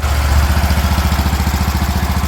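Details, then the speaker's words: 36-year-old Toro Wheel Horse 416-8 garden tractor after fixing a leaking fuel line: even, steady putter about twelve beats a second with no misses or stumbles; sounds pretty good, normal running. "There we go, sounds pretty good. So there you go, we got a running and working wheel horse"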